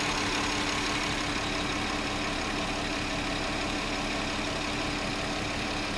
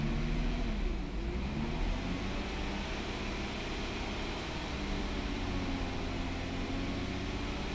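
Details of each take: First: 2009 VW Touareg 3.6 L at idle after sealing crankcase vacuum leak behind lean codes and rpm fluctuation: even settled hum with faint constant tone, rpm no longer hunting, fuel trims recovering; steady idle. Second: 2009 VW Touareg 3.6L with check-engine light, P0507 idle rpm higher than expected and P2187/P2189 lean on both banks, rpm raised slightly: steady drone with uneven, shaky beat; lean running from internal PCV leak in the valve cover.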